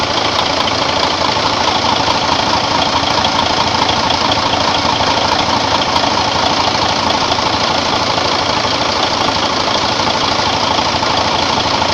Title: Mercedes Benz Actross Engine 2 Running after Overhaul